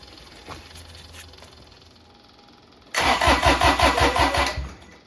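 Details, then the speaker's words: Kubota BX1850 diesel tractor after replacing both fuel filters (had low idle and sputtering) and bleeding air: brief crank, catches and settles into even steady clatter about three beats a second; running normally. "And steady stream of fuel. And we'll go ahead and we'll fire it up."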